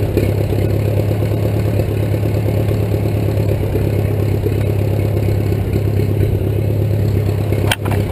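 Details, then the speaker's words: 1941 Case SC tractor, rebuilt engine, no muffler, chain-driven transmission, first start since December 2015, started in 2 cranks: loud steady low chugging with an even beat through the open exhaust, no misses; running healthy. "not bad, 2 cranks, and it's been sitting since December, so runs really well."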